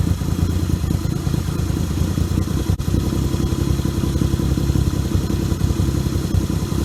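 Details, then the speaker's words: 1978 Yamaha XS750 Special triple, first run after a three-week revival, kick-started on choke: deep, even exhaust burble with steady beat, no misses or knocks; running smoothly. "I fucking love old motorcycles. They are so badass, especially when they wake up."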